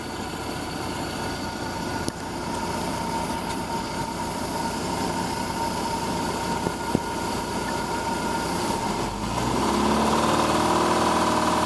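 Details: MerCruiser 470 marine petrol engine running with a steady rhythmic knock, about four beats a second, under the engine note; knocking since new.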